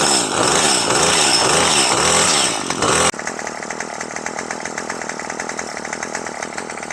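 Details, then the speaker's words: Craftsman gas two-stroke string trimmer, after new carburetor kit fixed hard starting and no rev, carb unadjusted, premixed fuel: screams high and steady, then drops cleanly to quick, even idle without stumbling; starts easily, normal idle. "to be running good. Idles up, starts pretty easy. And we didn't have to adjust the carb on this, so let's give it a spin."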